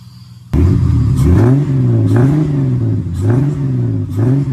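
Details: AU Falcon with a miss under decent or heavy load, after new leads, plugs, fuel filter, cleaned TPS and MAP, injectors refitted: quick blips each catch with a brief stumble, then clear; intermittent misfire, owner narrows it to fuel pressure.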